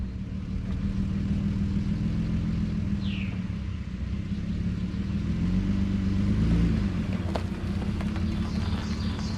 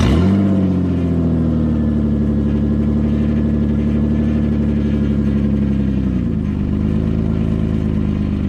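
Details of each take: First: 2009 Nissan Murano after stick-welding the rusted exhaust, which had snapped in half before the muffler: steady low idle rumble with an even exhaust note and no blowing or ticking leak; much quieter than before. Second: 2009 Nissan Murano before repair, exhaust pipe possibly snapped in half: very loud, raw, deep roar with throaty pulsing that dips and recovers with revs; exhaust leak from broken pipe.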